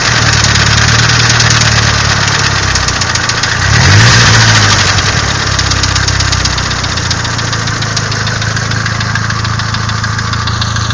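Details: Nissan SR20DET engine: rapid, fairly regular knock of about four beats a second over a steady idle. A clear knock from inside the engine, cause not pinned down.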